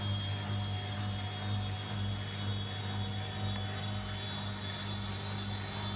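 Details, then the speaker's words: Washing machine spin after replacing worn shock absorbers that caused heavy vibration and noise: steady even low hum, no thumping or rattling, drum spinning smoothly. "after the replacement there is no more vibration and annoying [Music] noise"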